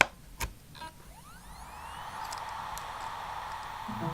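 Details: Laptop hard drive in external enclosure spinning up normally: a click or two, then thin whine sweeping up into steady even hum; detected as 232 GB, files accessible.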